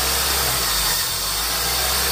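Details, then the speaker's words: Gen 2 Honda CR-V with cable-type throttle body, no check engine light: idle hiss with rpm dipping and recovering, steadies when the IACV is blocked; idle hunting from idle air control valve stuck open. "Pag tinakpan ko yung IACV. So, ibig sabihin, yung IACV is stack open."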